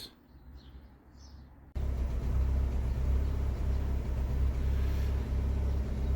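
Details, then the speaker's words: Fiat 500 with stored misfire codes (cylinder 4, random/multiple) despite spark plugs replaced months earlier, idling after the codes were cleared: lumpy, uneven pulse of a cylinder misfire, with a failing coil suspected. "However, I don't know if you can hear this. The car's misfiring, which is not great."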